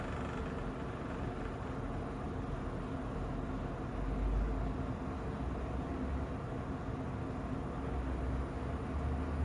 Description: Less than a year old, our Kolin aircon produces rattling noise